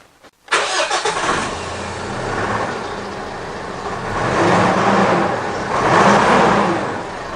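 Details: High-kilometre diesel after an earlier inlet manifold leak repair and a newly fitted valve, engine cover off: it cranks and catches at once, settles into an even idle and takes two light blips smoothly with no hunting or knocking.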